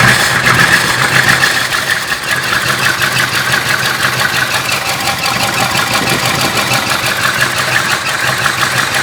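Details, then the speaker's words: 1966 Ford Country Sedan 390 FE big block with new cam and used heads, brake booster vacuum leak just plugged, new paint smoking off; rough uneven loping idle, not running on all 8, misfire, owner suspects valves. "That doesn't sound right. That sounds just wrong. It's better than it was. But something is still not right."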